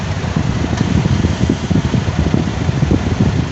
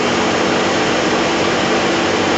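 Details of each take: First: Smart (Mercedes) with rear engine: heavy, rough, uneven roaring whoosh from the front when the AC is switched on, fan tested while loose; faulty electric radiator cooling fan needing replacement. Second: Smart car with A/C on, after condenser fan plastic replaced and A/C gas recharged: steady even rush of air from the electric fan, no rattle, scrape or whine.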